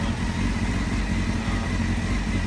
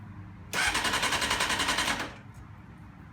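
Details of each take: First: Rebuilt crashed 1991 Honda CBR600F2 four-cylinder, just started and not yet warmed up. A steady, even idle with no knocks, ticks or stumbles and a constant pitch means the engine is running normally. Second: Rebuilt crashed 1991 Honda CBR600F2 in neutral with the side stand down. About one and a half seconds of fast, even starter chatter stops without firing; it cranks but will not start because the kill switch is off.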